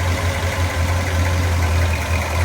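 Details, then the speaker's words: 1967 Chevrolet Biscayne, low-mileage survivor, LS6 454 big block with solid lifters, Muncie 4-speed, correct cast-iron exhaust manifolds: just started, steady lumpy idle with light even lifter ticking; normal. "Yeah, you can hear the solid lifters in that LS6 454. Nice. Fired right up."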